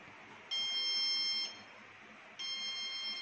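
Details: BPCL petrol pump automation tank alarm: two long high-pitched buzzer tones of about a second each with a pause between, in a quiet room; low product level alarm, silenced by pressing the delivery-required button twice.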